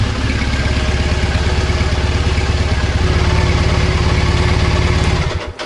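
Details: Triumph Bonneville twin stood 10 years, after freeing fuel pump, cleaning injectors and replacing faulty O2 sensor: even, steady low thump at idle, no misses or hunting, settling before cutting off. Normal idle.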